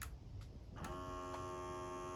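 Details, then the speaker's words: Fujitsu General VGH-630 Hi-Fi VHS VCR that powers itself off after plug-in, powered on again: a few clicks, then a steady thin motor hum as the mechanism fails to return to position; suspected cause is a loose belt. "turns on again, but there’s still that motor humming sound — the VCR is currently malfunctioning."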